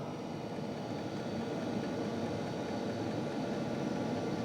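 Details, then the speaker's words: New Hcalory Toolbox Compact 2s diesel heater warming up, exhaust not yet fully hot, mic right at the unit; smooth steady roar of fan and burner, fuel pump ticking no longer audible; running normally. "You don't even hear that fuel pump no more. Again, the mic is right here. So that's very nice."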